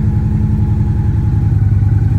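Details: 2014 Victory Cross Country, nearly 70K miles, first cold start since November storage, fuel pump whining at key-on: deep lumpy V-twin idle with steady loping beat, no knocks or rattles; normal idle.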